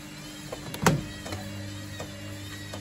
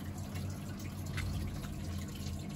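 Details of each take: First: Baumatic BDI1485D4E 8 kg washer-dryer draining after the rinse: low pump hum with a light knock about every 0.7 seconds; owner wonders about bearings or a bent-up heating element knocking depending on load, cause unconfirmed. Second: Street-found Baumatic BDI1485D4E integrated washer dryer (8 kg wash/5 kg dry) during a test wash: steady low drain-pump hum with water trickling and dripping through, even and unbroken; draining normally, so not plugged.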